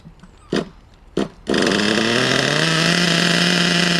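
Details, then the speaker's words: RC nitro engine, unused about a month, after new glow plug, new fuel and adjusted high, low and idle needles: fires after two pulls, holds steady high buzz climbing slightly; now runs properly. "so as you can see all of those things I did uh Ena it to start running um it's a pretty R breast machine"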